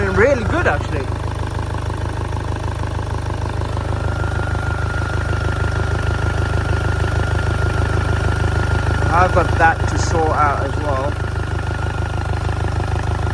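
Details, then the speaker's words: Damaged Copart 2.0 Audi A3 saloon idling just after a new throttle body was fitted: steady low clatter and hum at an even idle, no misses or knocks; normal idle, dash warning lights still on. "but seems like it's running all right."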